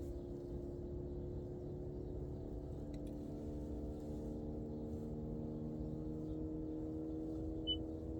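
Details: Toyota Prius Prime cabin: a steady low HVAC buzz with several even tones. Owner suspects the auxiliary heat pump may be failing; not confirmed.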